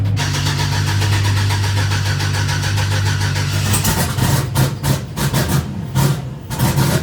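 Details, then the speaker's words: Turbo Chevrolet Silverado just after installing new 1500cc injectors and performance fuel pump: fires and holds steady idle, then stumbles into uneven surging bursts, smoking heavily with good oil pressure; rough running, owners suspect it needs a tune after the injectors. "Not sure why it's smoking a lot. I probably just need to tune after that. You think so? Because it started doing that after the injector."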